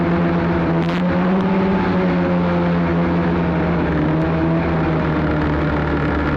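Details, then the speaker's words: Arctic Cat Cheetah 440 snowmobile bought for about $50, previously running rough, ridden after repairs, camera on front of dash: smooth two-stroke drone holding steady pitch under riding load, no stumbles or rattles; shifting all right, running good; normal running. "anyway it's shifting all right it's try it she's running good"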